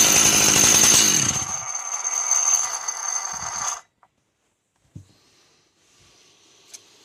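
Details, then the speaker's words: Two-stroke chainsaw at idle: a loud, high metallic ringing that stops at shutdown. It comes from the clutch assembly (weights on springs, loose drum), not a failed crankshaft bearing as first suspected. "то есть сцепление там грузики на пружинках тут болтается корзинка иногда постукивает и так далее и вот это все мешает слышит и человек вот этот вот звон на работающем моторе принял за развалившийся подшипник"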